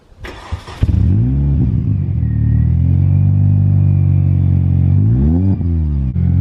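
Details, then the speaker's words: 2004 R53 Mini Cooper S, supercharged: engine starts and revs smoothly with a thin whistle that follows the revs; normal supercharger whine. "as you can hear they are really whiny but that's just a supercharger and that is exactly how they are supposed to signed"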